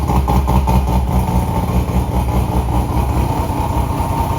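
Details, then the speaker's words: Modified Mazda RX8 rotary after AEM methanol injection install and idle control changes, before tuning: steady, busy low burble with a light rev blip, even firing, no knocks or misses; healthy idle and rev. "give it a little rev. How awesome is that?"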